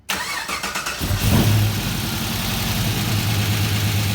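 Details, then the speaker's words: 1966 Chevelle with LS swap and fly-by-wire: the key is turned, fuel pressure comes up, then the button is pushed. The starter whirrs, the engine catches and flares, then settles at once to a smooth 650 rpm idle. Normal start and idle. "right up come dragged down to an idol a 650 rpm right away"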